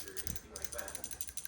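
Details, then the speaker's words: New PCV valve for a Subaru burning oil with heavy smoke and blowby, shaken by hand: quick, light rattling ticks as the loose ball clicks freely inside; normal PCV valve rattle. "listen for the shake listen for the wobble little marble in there"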